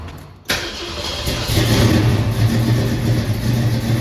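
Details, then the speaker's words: 1968 Mercury Cougar with newly swapped 347 roller V8: cranks and catches at once, settling into a loud, lumpy but steady idle through open exhaust; starts and runs fine, a small oil leak remains. "Loud. Huh? Loud. Started up fine."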